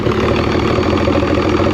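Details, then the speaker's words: 2006 Evinrude 90 E-TEC two-stroke outboard, fuel pressure 15 psi after correcting reversed aftermarket pump wiring, old fuel; lumpy hunting idle barely hanging on. Compression good, so fuel starvation from low pressure suspected. "Eventually it'll come. It looks like it wants to pick up, but I'm going to get some better gas."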